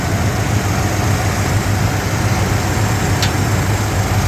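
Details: 1987 Jeep Grand Wagoneer with fully rebuilt rare AMC 401 V8, Fi Tech fuel injection, new fuel pump, distributor and plugs, 62,000 miles, just started: deep, even, smooth quiet idle with steady low pulse, no ticks or misses; healthy.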